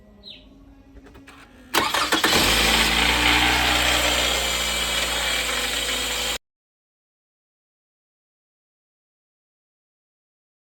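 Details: Toyota Camry 2.5 VVT-i (2AR-FE) petrol engine cold start: bright fast metallic rattle after firing, heard only on the first morning start or after resting a few hours; owner avoided replacing the water pump and pulley.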